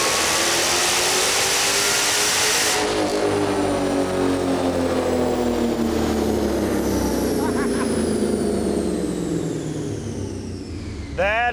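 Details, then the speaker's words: Supercharged Dodge Challenger V8, about 1000 hp, on the dyno: loud roar winding smoothly down in pitch as the revs fall, no misfire or knock. First pull made 847 hp and 868 lb-ft; healthy, rowdy motor. "definitely one rowdy vehicle that's pretty mean"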